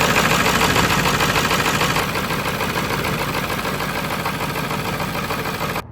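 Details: 1995 Ford F-350 7.3 Powerstroke diesel with a crank-no-start, IPR valve replaced, in freezing weather: even diesel clatter at idle about three beats a second, no misses or knocks; normal idle.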